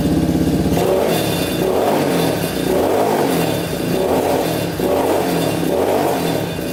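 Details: Yamaha Warrior 350 quad after carburetor cleaning, fresh gas and idle adjustment: revs rise then sag in slow waves, running well at first then nearly shutting off and bogging, sounding rich; pipe blockage suspected.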